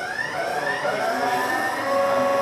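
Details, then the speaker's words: VVVF PWM induction motor drive accelerating up to speed after very low speed, standstill and a direction change: a clean, even whine stepping upward in pitch through its "gear" changes; normal inverter whine during acceleration. "There we go. Up to speed very nicely. There we go. So that's pulsewith modulation in an induction motor drive with gear changing."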